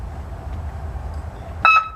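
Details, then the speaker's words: '49 Ford truck with a salvaged horn the owner had not tried before and calls funky-sounding. A short, loud blast with a steady, slightly sour two-note tone over a quiet hum: the horn works. "yeah so you could see that hear that loud pitch [Laughter] i don't know what the heck that thing is it's just a horn that i found that them but it works so that's that's good news"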